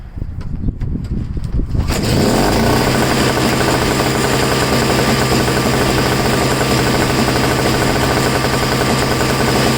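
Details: MTD two-stroke snow blower that sat 10 months and wouldn't start; fix was simply adding fuel (2-stroke mix), started with no choke or priming. Few seconds quiet, then catches and settles into steady, even run, no misfire or stumble; running normally.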